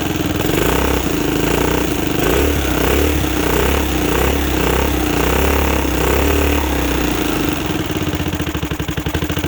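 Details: 2006 Zhejiang Kangdi 250cc kart with a big-bore cylinder, first start after teardown and reassembly: the single fires up and holds a steady, even thumping idle with no knocks or misses. Sounds healthy; it was shut off shortly after for cooling.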